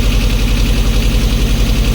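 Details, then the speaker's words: 1988 Jeep Comanche Renix 2.5L I4 after a fouled spark plug was replaced: it still idles with a lumpy, uneven beat from one cylinder low on compression. "That sounds just as shitty as it did before. All right. It was just a spark plug. Maybe. Ah, maybe not. Doesn't sound great."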